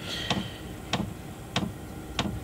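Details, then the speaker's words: Chinese 5 kW diesel air heater in a motorhome, microphone very close to the burner unit, at startup after pre-start checks with the glow plug hot: crisp fuel dosing pump clicks about 95 a minute over steady fan hum, drawing about 10 amps; normal operation. "Now, once it's done all its preliminary checks and it's got the air out and the fresh air in and the glow plug is up to temperature, the fuel dosage pump cuts in, and that's the clicking that you can"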